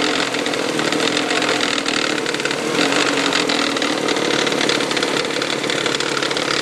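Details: 1999 Toyota Sienna engine at start-up, blipped, with fast light tapping like something hitting the valve cover, began after six NGK iridium plugs and oil change; also heard driving around 2300 rpm.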